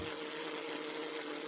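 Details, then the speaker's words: N-scale model locomotive "Wadloper" motor under repair, bench-tested on a transformer before full assembly: steady high buzzing whine at constant pitch with no stutter; runs, still needs a shim under the motor and tweaking. "So it runs. So at least oh, a little bit success."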